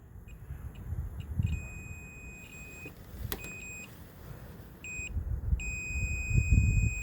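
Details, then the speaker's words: 2006 Trailblazer rear window defroster: multimeter on continuity setting with a jumper wire to the connector; a clear high beep starts and stops as the probe touches the grid line, showing the circuit is intact with no break in the wire. "you can hear the tone. So that's another way of checking all the wires. If you have like a break in the wire, you'll be able to troubleshoot it and stuff."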